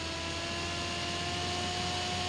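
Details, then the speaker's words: Small smoker blower turbine driven directly from 12V supply with a 1K variable resistor in the negative lead for speed control; spins fairly quietly with airy rush and soft steady tones, no squeal like a PWM module makes. "турбинка крутится более-менее более-менее тихо турбинка крутится Да вот и не такого писка даже нету как вот ШИМ модуля"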